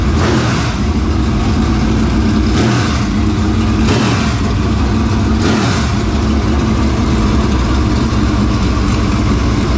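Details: Dirt Late Model race engine just started after carburetor work: deep, strong idle with four crisp throttle blips that rise and fall cleanly, no misses or knocks. Normal, healthy idle and revs.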